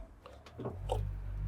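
Drum spins up with a smooth, low, steadily building hum and no knocking or banging; the washer sounds healthy.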